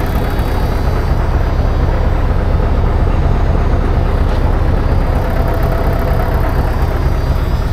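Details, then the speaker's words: 1980 Peterbilt 359 EXHD with 3408 Caterpillar diesel after fuel system priming: deep steady low rumble at idle, even beat, no knocks or misses; runs smoothly, though air pressure builds slowly. "how's it feel to sit in a running 3408 fellas not too shabby"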